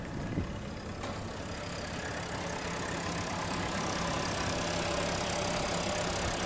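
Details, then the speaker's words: 1945 WWII military gasoline/electric walk-in reefer cooler, Continental engine driving a type M open compressor on R134a: faint, low, steady engine hum, smooth without knocks, growing slightly as the microphone approaches; running normally. "so here's the unit running here is really quiet I mean it you can barely hear it running"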